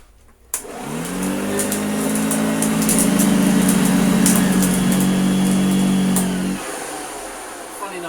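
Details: Hoover Junior U1034 vacuum, first switch-on as found, belt somewhat slack: motor spins up to a steady hum with a faint rough whirr, running evenly; sounds dry, wants lubrication, brush roll bearings and belt likely need replacing.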